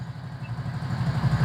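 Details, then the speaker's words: Old Splendor Plus single-cylinder bike idling right after an at-home oil change, left about five minutes so oil circulates: steady, even low thumping with no ticks or knocks, healthy idle. "Start ಆಗಿದಮೇಲೆ ಪ್ರತಿ oil service ಆದಮೇಲೆ ಒಂದು ಐದು ನಿಮಿಷ ಐಡ್ಲಲ್ಲಿ ಬಿಟ್ಟಬಿಡಬೇಕು ಗಾಡಿನ ಅದು oil ಎಲ್ಲ ನೀಟಾಗಿ ಎಲ್ಲಾ ಕಡೆ ಫುಲ್ ಡ್ರೈನ್ ಆಗಿರೋದ್ರಿಂದ ಡ್ರೈವ್ ಮಾಡಬಾರದು ಜಾಸ್ತಿ ಟೀ ಎಲ್ಲ ಸರ್ಕ್ಯುಲೇಟ್ ಆಗೋವರೆಗೂ ಒಂದು ಫೈವ್ ಮಿನಿಟ್ಸ್ ಬಿಟ್ಟುಬಿಡಬೇಕು"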